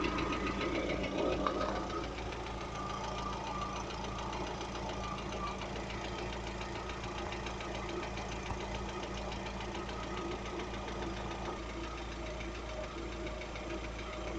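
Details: Lada Vesta engine at steady idle with a faint, regular light tapping over the hum throughout; the owner asks what could be knocking, source not identified.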